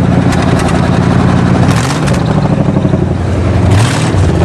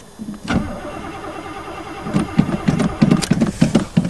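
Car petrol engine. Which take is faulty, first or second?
second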